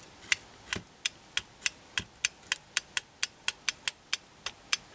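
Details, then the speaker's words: Relay driven by a one- or two-transistor Darlington circuit, switched by a tiny positive voltage applied to the base by hand: crisp, clean clicks about three per second with no chatter. Normal relay clicking. "you can surely hear that relay click so when you give that first transistor of the dialect on even a tiny voltage say connected via a one mega ohm resistor to the positive the relay will switch"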